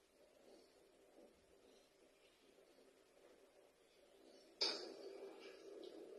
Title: Hisense fridge random popping noise at 1 minutes mark